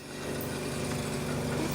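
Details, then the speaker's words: Antique Kelvinator fridge after rewiring and earthing; steady low buzzing hum at even pitch with refrigerant heard boiling, no knocks or rattles; compressor running normally, working nicely. "yep refrigerant's boiling in there that's working nicely"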